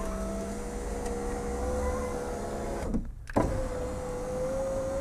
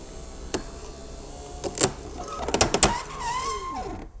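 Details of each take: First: Rover 75 V6 power window after the regulator rails were cleaned and lubricated and the window refitted: smooth even motor hum each way, steady pitch, no grinding or clicks; working normally, no horrible noises anymore. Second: Rover 75 V6 power window regulator being tested: a few clicks, then motor whine sags and drops off straining near the top; this side only binds, other side fine, owner plans to clean tracks and lubricate.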